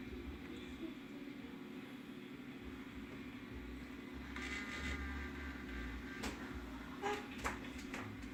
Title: Skip Hop mobile not spinning and making grinding noise